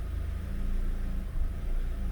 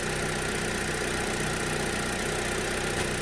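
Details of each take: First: 2011 Chevy Aveo 1.6 4-cylinder Ecotec idling in drive: uneven, stumbling beat with a brief dip, an ignition misfire without check engine light, after P0300; the new coil was defective, causing a miss on cylinder 2. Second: 2011 Chevy Aveo 1.6 Ecotec four-cylinder, P0300 misfire caused by a defective new coil pack on cylinder 2, idling after fitting another new coil: a steady, even idle hum with no stumbles or skips. A separate cold-start fuel problem remains.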